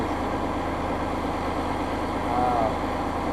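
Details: Massey Ferguson 5610 tractor idling after its 500-hour service fuel water-separator filter change; it started right up and never missed. Steady, even diesel clatter with no misses or hunting: running smoothly and healthy.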